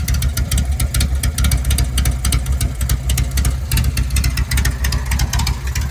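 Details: Home-built Harley Sportster chopper, cold idle on choke: a loping potato-potato idle at roughly three to four beats a second with no knocks or rattles. The owner says it idles fine, and only the breather bolts make a normal noise.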